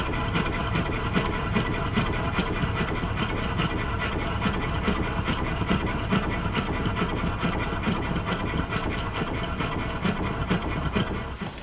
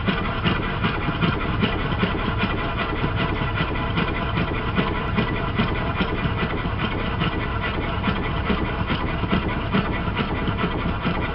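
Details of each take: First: Well-built triple expansion model steam engine used as a comparison: even steady beat of about two exhaust pulses a second, no knocks or clatter, sounds entirely different and runs beautifully; normal running. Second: Worn triple expansion model steam engine awaiting rebuild, likely run much of its life on compressed air: busy uneven chuffing at about two and a half beats a second with irregular knocks, needs work to run properly; rough running.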